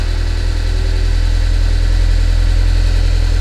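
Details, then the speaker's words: Newly bought sports car project, battery charge unknown, started at idle: heavy, clattery, uneven diesel-like drone, engine running very rough. "so as you hear it almost sounds like a diesel that's how bad it is"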